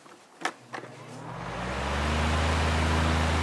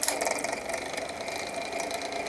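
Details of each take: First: 12-inch Windmere oscillating fan, after servicing, on high, recorded close to the motor: spins up almost instantly to a steady, even hum with no rubbing or ticking; normal fan motor running on high. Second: Small 6-inch desk fan, model 6HK, needing oil: motor runs with a dry, scratchy rattle and thin steady whine; noisy running fan.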